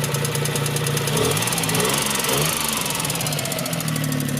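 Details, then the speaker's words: 1992 Suzuki Cappuccino turbo, after engine-out service with new seals and gaskets about 100 miles ago: light metallic ticking at idle; valve tick thought to be valves needing to seat, may need adjustment, not confirmed. "But also in a lot of the Suzuki forums for the Cappuccino, a lot of owners say that ticking is a common thing, right? Yeah, it's a little more pronounced than some I've heard, you know, but they were just put back in there probably only 100 miles ago,"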